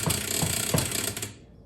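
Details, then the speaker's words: 1976 Bally Flip Flop EM pinball: quick sharp clicks and rattly chatter from the relay that alternates playfield features, lights flickering when the machine vibrates; its switch contacts need cleaning. "So, whatever relay is responsible for alternating the playfield features needs to have its switches cleaned."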